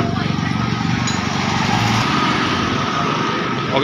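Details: Vespa Piaggio Zip 100cc scooter after repair of sudden stalling caused by a faulty ignition key switch connection; engine holds a steady light rev with an even beat, no misfire or cutting out; normal running.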